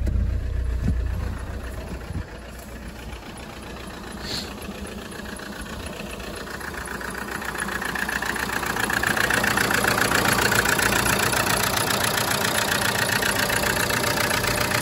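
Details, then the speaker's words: Vauxhall/Opel Insignia diesel idling in neutral, clutch pressed, after a flat battery; coarse rattly tractor-like clatter about four beats a second, growing louder; owner thinks it isn't normal, engine not shaking so mounts seem fine; harsh idle, cause unclear. "Ia auzi cum se aude. Un pic ca un tractor,"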